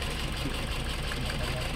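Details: Toyota Altis with strong vibration persisting after ignition coils and spark plugs were replaced; idle chugs unevenly with low shaking beat and missed firing pulses, like one dead cylinder lacking compression; misfire, no check-engine light.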